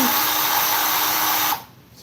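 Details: Ryobi 10-inch battery-powered electric chainsaw with old Ryobi battery and busted oil cap, first test: smooth, even high whine for about a second and a half, shuts off cleanly; runs normally.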